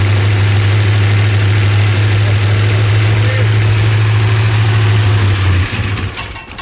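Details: Freshly rebuilt V8 in a '75 Plymouth Roadrunner on pump gas, timing set by eye without a timing light: loud low drone at fast idle with slightly uneven beat; rough idle, not yet smooth.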